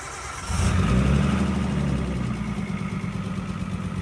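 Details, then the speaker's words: Nissan Skyline R32 petrol engine on cold start after oil change to 10W60, lumpy idle with light rapid top-end lifter ticking under rain noise, loud at first and quieter at operating temperature; lifter tick suspected, not confirmed. "So, right off the bat, it does sound pretty bad, but once we let it get up to operating temp, they definitely sound a lot more quiet."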